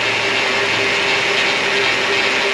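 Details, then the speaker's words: 2006 Mercedes CLS500 power steering pump whining from low fluid; steady mid-pitched whine over a hissy engine bay. "at the deal is with this uh power steering noise are we low on the food yes yes we are"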